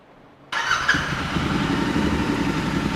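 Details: Royal Enfield Continental GT 650 with Mity Mike Customs exhaust, restarted after checking fuse and relays for stalling issues. Fuel pump primes, then the engine catches instantly and settles into a steady, even idle with no misses; a clean, healthy start.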